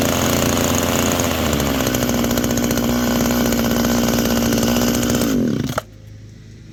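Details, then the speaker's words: Small two-stroke hedge trimmer after oiling the blades, a commonly missed maintenance item: revs hard and steady with an even buzzing rasp from the blades, then cuts out cleanly; runs smooth and healthy. "and lubed up. That simple. Keeps everything running properly, and occasionally"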